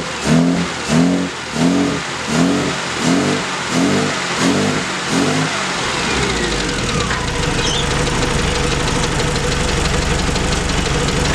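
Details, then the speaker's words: Australian Leyland Mini, SU carburetor, after new Accuspark coil, leads and distributor and setting timing at TDC; repeated rev blips about once a second with popping backfire, then settled idle; backfire from incorrect ignition timing, needs refinement. "hear there was a bit of a backfire so again bit of timing refinement is needed"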